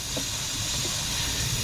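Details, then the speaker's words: Semi truck inside drive tire, installing tire equalizer hose on the valve: sharp continuous air hiss from the valve stops abruptly after about two seconds once the twisted hose seats. "You will hear the air stop, you will hear air leak from the valve, and once the air leak stop, you stop twisting the hose."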